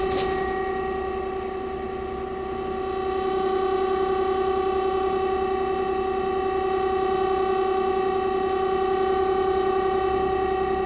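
A loud, steady tonal hum with several stacked ringing pitches drones on without break from a running heat pump.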